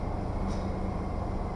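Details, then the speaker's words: 2003 GMC Sonoma truck at idle a couple of days after thermostat replacement and a coolant top-up: low, steady hum with no ticking, knocking or stumbling; check engine light stays off, warms up quicker, normal idle. "everything works on it it warms up a lot quicker than what it used to so yeah there you go everything works as it should"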